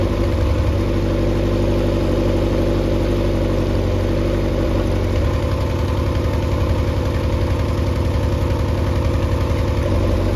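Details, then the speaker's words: Mercury 90 hp four-cylinder outboard on a Shetland 535, out of the water after the spark plug swap: steady low idle with an even throb and no miss; should now run on all four cylinders, previously three. "I can still hear this it should run on all four now it was only running on three"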